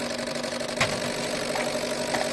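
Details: Ford Fusion with intermittent flashing check-engine light, mainly on the highway: steady electrical hum with sharp clicks at uneven gaps, an injector losing efficiency at high temperature and frequency, not opening on every pulse; diagnosed injector fault.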